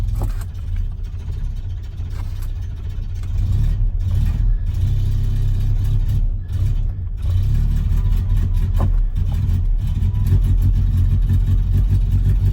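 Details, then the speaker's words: Project race truck engine running once the choke works: a deep uneven drone with a wavering beat, slightly rough but otherwise a sound engine. "Apart from it running a little bit rough there, it sounds like a pretty good engine. Probably not a race engine, but you know."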